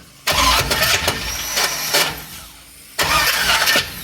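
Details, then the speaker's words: 6.0 L LS V8 with 4L80E, cranked again after a rod was heard bouncing in the oil pan following a 3000 rpm rev; two harsh bursts of metallic clatter, never catches, now seized. Thrown connecting rod, engine destroyed. "there's no engine left and now it's seized"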